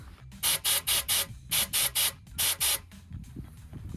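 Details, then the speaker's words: Sportsboat engine with earlier no water flow: compressed air blown into the cooling water port gives sharp hiss bursts about one a second, heard exiting at the bottom with no gurgle or choking; the cooling passage is clear. "So I can actually hear it coming from the bottom. Let's see if you guys can hear it too. So since I could hear air going through, I thought water was gonna do the same."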